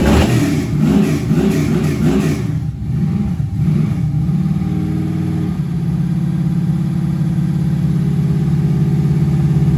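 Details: Junkyard LM4 aluminum 5.3 LS V8 on a run stand with the stock cam, before the cam swap. A couple of quick revs, then a settled, steady idle with no knocks or misses; runs healthy.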